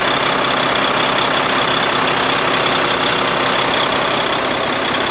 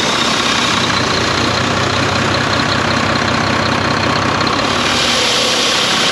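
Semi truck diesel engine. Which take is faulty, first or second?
second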